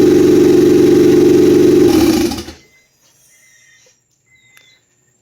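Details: Honda F23 turbo built engine, first start before break-in: a smooth, even idle for about two seconds, then a clean shutdown. A fuel leak, a vacuum leak and low power steering fluid were noted. Normal idle.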